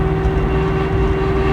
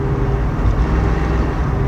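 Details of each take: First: 1969 Mustang, 428 with C6, 9-inch limited-slip rear, 3.50 gears, 1,200 miles after restoration: steady droning howl at about 50 mph and 2,000 rpm downhill on light throttle, disappearing off throttle; rear axle suspected. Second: 1969 Mustang 428 with C6 and 9-inch nodular limited-slip rear, 3.50 gears, 1,200 miles after restoration; whine appeared in the last 100 miles, owner suspects the third member; steady drone, no whine, sounds clean.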